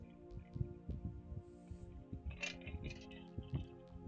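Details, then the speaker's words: MakerFarm 3D printer X axis (250x250 bed) near 235–240 mm travel: stepper hum with uneven thumps and clunks as the belt jumps teeth on the motor pulley; owner suspects sloppy belts or frame limiting X travel. "you can hear it just as it gets like 235 to 240 you'll hear the belt jump over the motor"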